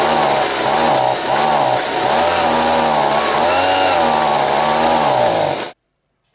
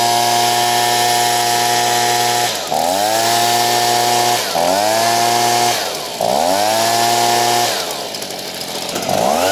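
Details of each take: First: Stihl BG55 two-stroke leaf blower, a worn machine with mixture screws at about a turn and a half and a carb kit already replaced. It runs and revs well cold, then bogs down as it warms, sagging and surging. Cause is a crankshaft seal air leak. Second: Stihl BG55 two-stroke leaf blower, hot after crank seal replacement and carb screw set at 1.5 turns, formerly bogging when warm: screams at full throttle, dips briefly and snaps back without bogging, normal high-speed running.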